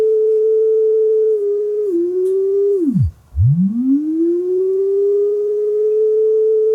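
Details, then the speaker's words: Marantz 5030 three-head mechanical cassette deck that was eating tape, playing a test tone after the speed adjustment: the pitch sags, dives and recovers from unstable motor speed; a motor fault is suspected. "Oh, that sounds like it's changing. Actually, motor might be [Music] shot. Oh, yeah. Um, I think we got a problem with the motor here."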